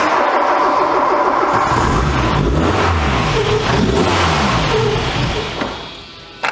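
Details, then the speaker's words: Barn-find VW Scirocco Storm, K-Jetronic, after warm-up regulator rebuild during mixture adjustment: revs up cleanly, then settles into an uneven, hunting idle that sounds fuel-starved; owner thinks no fuel at idle, turning fuel up; rough idle. "Just going to keep digging fuel in because it sounds to me like it's got no fuel at idle."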